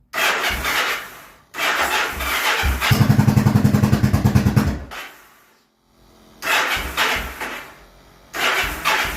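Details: Customer's 2002 Yamaha V-Star 1100 V-twin, first start after more than a year of storage, choke on, fresh oil and filter: bursts of cranking, then it catches with a lumpy, uneven beat for a couple of seconds, dies, and is cranked again.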